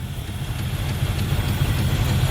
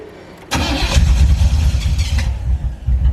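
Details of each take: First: 1985 Camaro IROC-Z barn find, sat about 16 years, just revived with a new fuel pump, no tune-up or oil check yet: low, fairly even idle rumble with slight lope, no knocks or misses; idling fairly well. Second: 1985 Chevrolet Camaro IROC-Z barn find, stored about 16 years, new fuel pump hot-wired from the battery, not tuned and oil unchecked: short crank, then it catches into a loud, slightly lumpy idle with a little smoke; rough idle after long storage.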